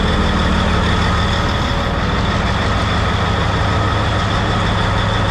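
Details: Rebuilt Cat 3412 diesel in a 773B mining water truck after install: deep, even, loud but smooth idle rumble with no knocks or misses; oil pressure gauge being watched; healthy.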